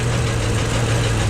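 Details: Deep, uneven thumping under a lumpy idle, valve cover off. Valves partly dry but none stuck. Owner suspects the cam or a valve near #4. Blaster penetrant tried; cause unconfirmed.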